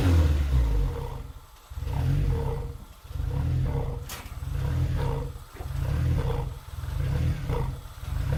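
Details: Supercharged 2ZZ-swapped MR2 Spyder on an ECU Master Black with a base tune; idle hunts in slow regular swells every second and a half, never settling, though it runs smoothly revved; owner wonders about 5-month-old gas, unconfirmed: idle surge.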